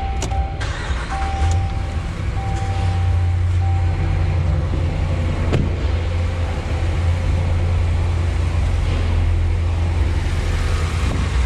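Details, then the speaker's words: Ram/Dodge 5.7 HEMI V8 after exhaust manifold gasket replacement and broken-bolt extraction: smooth, even idle rumble with no ticking pulses (cold-start ticking from warped manifold leak gone). "all right nice no more noise"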